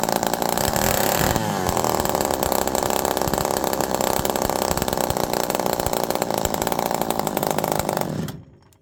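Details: Homelite Super Mini two-stroke chainsaw, low jet being opened in half-turn steps toward 2.5 turns: revs quickly, drops and wavers unevenly, won't return to idle, then dies; erratic idle, air leak or mixture suspected.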